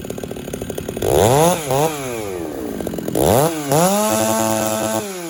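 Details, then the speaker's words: Chainsaw (Husqvarna 394 or Stihl 066) being carb-tuned richer and leaner in the wood screams to very high revs in the cut, sags, then screams again. Owner judges it too lean, with a slightly dull chain on a hot day. "okay that sought to me was too lean it was cutting yes but I think over time slight dull saw finishing up cuts on a hot hot day"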